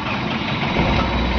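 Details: Mahindra Xylo D2 2013 diesel idling after restart, checked for the earlier P0117 coolant temperature sensor code that made it jerk and shut off; even, steady rumble at idle with no misses, knocks or hunting; idling cleanly.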